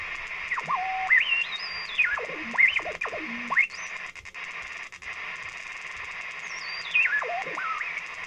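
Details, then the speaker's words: Sony ICF-SW55 shortwave radio on 7 MHz, after supercap replacement and LED lamp upgrade, not switching between upper and lower sideband; hiss with whistles sweeping in pitch as tuning moves, a heterodyne birdie in SSB reception. "sounds like a little birdie in there so I'm messing up an unusual is it"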